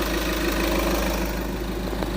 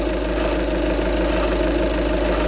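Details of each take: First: Golf 6 with an accessory noise, suspected to be the A/C compressor pulley. With the accessory belt removed, the engine idles evenly with a smooth low hum and no squeal, chirp or rattle. This confirms the diagnosis of the A/C compressor pulley. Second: VW Golf 6 accessory noise: a fast metallic rattle and whirr from the belt side over a steady idle; the alternator pulley was first suspected, then the air-con compressor pulley; the accessory belt was removed to check.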